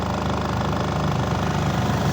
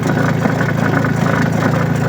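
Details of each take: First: Astro spin dryer after repair, rear cover still off to listen for more hum; earlier it was noisy underneath. Now a steady, even hum with no knocking, rattling or scraping as it spins smoothly and quietly. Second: Astro spin dryer with clothes loaded, noisy when spinning: steady low motor drone with a faint buzzy rattle from the loose rubber-covered spring under the dryer foot.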